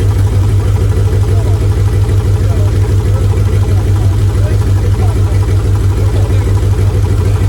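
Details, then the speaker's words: Free Mitsubishi 3000GT SL, front-wheel drive, first start of project car: idle with uneven, lumpy pulse and low stumbling beat about three times a second; not running on all six cylinders, two coil packs needed. Misfire. "you said it was running on six cylinders we wish it was so the car is not running on all six cylinders we gotta go buy two coil packs tomorrow"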